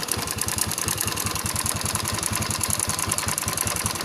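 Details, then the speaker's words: Yamaha Spark 110 engine at steady idle, valves already adjusted: quick loose clatter pulsing over the engine beat; on teardown the timing chain was found joined/extended and needs replacing, so likely timing chain noise rather than tensioner or valves. "เพื่อนๆว่าเสียงนี้เสียงของตัวดันโซ่ราวลิ้นหรือว่าโซ่ราวิ้นนะครับทุกท่านนะ"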